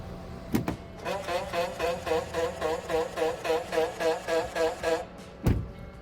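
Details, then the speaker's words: 2020 GMC Yukon driver's front power side step won't retract: about four seconds of rapid, rhythmic warbling squawks, roughly four per second, as step motor strains, like a choked duck. "Got a 2020 Yukon here for driver's front side step will not go back up. Sounds like a duck getting choked."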